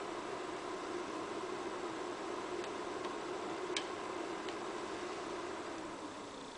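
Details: New Scythe Shuriken CPU fan: soft steady hiss with sharp irregular clicks at boot start and after OS loads and fan control starts; clicking at low speed, owner asks if broken.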